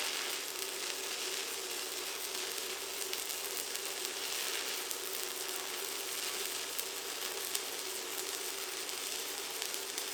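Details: ProWELD MMA 220Puls inverter stick welder, 3.2 mm electrodes at 160A on about 6 mm thick pieces: even, steady frying crackle with no pops or breaks; electrode strikes easily and arc stays fully stable.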